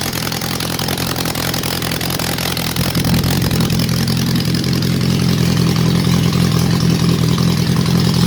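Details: Honda CB750 under restoration, first start with choke, running somewhat rich: a choppy, lumpy idle with an uneven beat that stays rough when revved, with one of the four cylinders not firing. Misfire, one cylinder dead.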